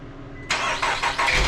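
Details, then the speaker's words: 2014 Nissan Rogue, first start after replacing VVT oil solenoids: quiet hum, then engine catches with uneven surges over first second; odd-sounding start, owner assumes cam timing adjusting to the new solenoids. "well it sounded kind of weird when it started but i'm assuming everything kind of had to adjust to where it's supposed to be with the timing because that's what those solenoids do that i just put in this mess with the cam timing"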